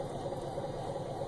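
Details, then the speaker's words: Motor drive in vibration analysis: the guard was pushed against the pulley, possibly by someone working nearby, and the pulley rubbed into it; light rhythmic scuffing each turn over a steady low machine hum; pulley rubbing guard. "this is an example of a rub the pulley you know somehow the the guard got pushed against it maybe somebody was working near it and you know and and push it up against the pulley but you can see the pulley actually rubbed into the guard there"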